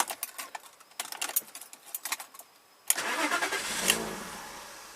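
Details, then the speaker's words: 1995 BMW 325i, unused for four years, cold start. Quiet ticking, then it catches and settles into a low, shaky idle and stalls. The owner suspects a clogged or failing idle control valve or a throttle-body vacuum leak. "It's a little low, which is why I think I have a clogged or failing ICV."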